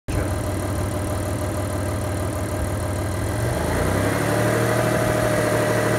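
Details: Mitsubishi Diamante 6G73 GDI, warmed up, idling then revved in place: uneven repeating knock about three per second over the idle; owner asks whether it needs a major overhaul, cause unknown.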